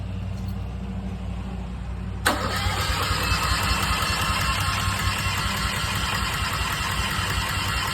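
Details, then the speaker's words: New Westinghouse 20,000 W portable generator on first startup: starter churns with an even beat but the engine never catches; fuel not yet through the system. "Let it go again. We need to get the fuel through the whole system."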